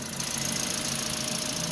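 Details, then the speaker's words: Toyota Vios petrol engine revived after 3 months sitting and lost compression by adding oil to cylinders, residual oil smoke: steady even idle hum with a light hiss, no misses or knocks; normal idle. "Hindi na kailangan ng scanner dahil may kuryente may gasolina kumpleto Mabait siya umandar ang"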